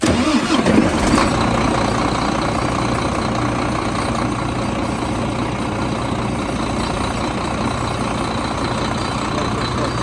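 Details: 2013 Volvo FM 410 hp 4x2 tractor diesel with an oil pressure fault code and a non-original replaced oil sump, cold start: quick crank, catches within a second, settles into a steady even idle with no knocks; sounds healthy.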